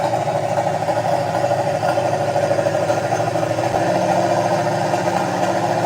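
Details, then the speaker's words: Project Mustang V8, playback of the run before it stopped with a squeak and would not turn over: a lumpy idle with about two stumbles a second, sounding like a cylinder missing; owner suspected timing, unconfirmed. Finding: rough idle misfire. "Sounds like it's missing. Well, and that's what I thought. I thought it was just a timing problem, but I don't know."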